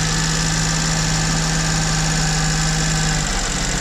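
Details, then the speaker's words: Duet petrol engine with sneezing fault, after throttle intervention, just cold-started: steady idle with strong low drone, very high revs at first, then tone drops and wavers as revs hunt while warming. "Я открываю ворота выезжаю слышно как работает реб это я просто завёл сейчас у него сначала очень большие обороты"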